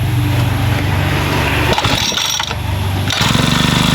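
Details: Makita two-stroke grass trimmer started after repairing its broken recoil starter rope: catches and settles into a steady, even buzz with a brief dip and recovery; a healthy start and idle.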